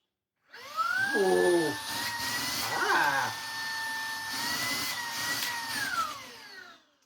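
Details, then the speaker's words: Used, worn Shark cordless stick vacuum, battery-powered with no charger, first test after being given in a box of parts: motor whines up, holds steady high tone with handling knocks, winds down; runs normally. "That runs."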